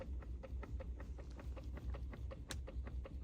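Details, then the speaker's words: 2011–2016 Ford Super Duty 6.7 diesel with airbag light on: quick light clicks, roughly six a second, from the steering column as the wheel turns a quarter turn under arm weight; suspected failing clock spring / steering column control module. "I am thinking we have something going on with this clock spring steering column control module clock spring"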